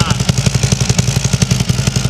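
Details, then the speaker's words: 2015 Harley-Davidson Ultra Limited, 137K miles, Vance and Hines exhaust, cracked crossover patched with JB Weld Extreme Heat wrap and paste, warming up after overnight cure at 30°F: loping V-twin idle, sharp regular pulses, faint extra puff; small leak at lower crack. "There's a little bit of leak coming out of the lower crack. But the tape is not."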